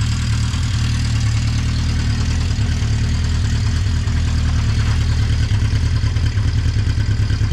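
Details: 1980 Honda CB650C four-cylinder, just after a cold start on choke with the original OEM 4-into-4 exhaust refitted: deep burbling idle, steady, with no stumbles or mechanical clatter. Healthy idle.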